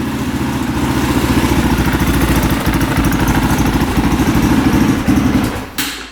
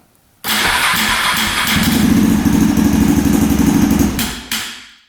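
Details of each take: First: 2003 KTM SXC 625 Supermoto single-cylinder after a carburetor clean fixed its poor running. Crisp, regular thumping at a steady idle with no stumbling before shut-off. Normal idle, bike fixed. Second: 2003 KTM SXC 625 Supermoto single-cylinder that won't run right, before repair, on choke with fuel turned on. It catches, runs a rough uneven idle for about 3.5 seconds, then dies. Starts then stalls.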